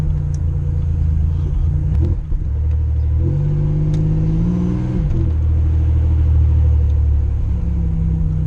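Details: Car missing at low RPM and light load; a new coil pack and a replacement coil gave the same result: engine speed steps up and down, briefly dropping out near two seconds; cutting out and surging. Owner suspects cam sensor.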